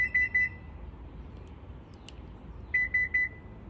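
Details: Subaru Ascent power liftgate gives two sets of three quick high beeps with no motor run after them; the jammed rear hatch won't open even when operated with the key.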